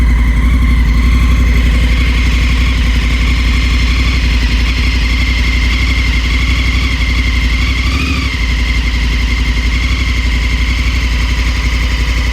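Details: 2019 Africa Twin at a steady twin idle with a rapid, fairly regular mechanical tapping over it, about four per second; abnormal engine noise, cause unclear.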